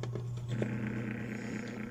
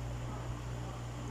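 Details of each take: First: Dowell electric fan motor before repair: low steady hum with a loose buzzing rattle, because the thrust washer on the shaft is worn away, leaving large end-play clearance; bushings and shaft still good. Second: Dowell electric fan after adding a washer to replace the worn thrust washer, with the blade and cover refitted: quiet, steady low hum, smooth spin, no rattle or scraping; running normally.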